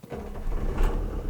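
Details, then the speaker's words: 1959 Mercedes 180D Ponton diesel, 73,000 original miles, started with the lever-type glow and starter switch after glowing: catches and settles into a deep, even low clatter with no misses or knocks, healthy. "to that. If you're a diesel head, that is music to the ears."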